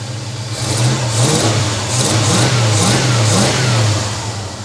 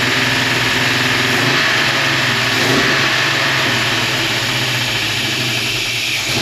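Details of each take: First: 1956 Chevy long-roof small-block V8 in park, after a PCV valve was fitted to cut blow-by following its restart from 2 years of sitting: deep, smooth idle running slightly fast, with clean throttle blips and no misfire; sounds healthy. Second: 1956 Chevy wagon small-block V8, first start after years outdoors, with a new HEI distributor, water pump, fuel pump and exhaust gaskets, likely cold: lumpy, uneven idle and revs. Exhaust leak confirmed; owner suspects a massive vacuum leak. Rough running.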